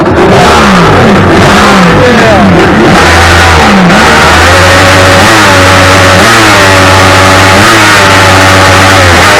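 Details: 2000 Kawasaki 1100 STX DI jet ski after installing the repaired EMM to fix a no-start: fires and blips through several quick revs, then holds a steady, even idle; runs clean and healthy.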